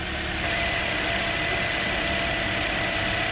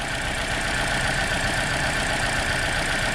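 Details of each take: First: 2009 Toyota Corolla 1.8 2ZR-FE at idle after replacing the bad cylinder 2 ignition coil (codes P0302, P0352): evenly running four-cylinder with a steady hum and faint whine, with no misfire or stumble. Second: 2009 Toyota Corolla 1.8 2ZR-FE, codes P0302 and P0352, flashing check engine light: uneven, lumpy idle with faint irregular stumble after swapping coils two and four; misfire from a faulty ignition coil.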